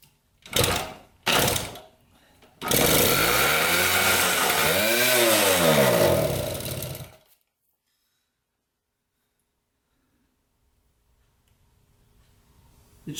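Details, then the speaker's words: 1974 Honda Elsinore 50cc two-stroke, first start after fitting a new spark plug with strong blue spark, fuel pouring out: two kicks, then it catches and revs raggedly for about four seconds before dying. Hard starting. "It's just pouring out gas at this point."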